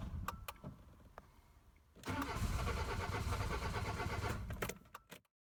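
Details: 2005 Peugeot 206 1.1 TU petrol engine starting and idling: uneven, stumbling misfire beat, down on power; injector number 3 had failed.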